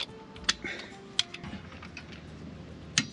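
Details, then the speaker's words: Caravan brake caliper bolts tightened with a torque wrench set at 75 Nm after wheel bearing and brake pad service: sharp single clicks, two close then two more, as set torque is reached. "okay give them a bit of a nip and then grab your torque wrench for these ones they're set at 75 newton meters"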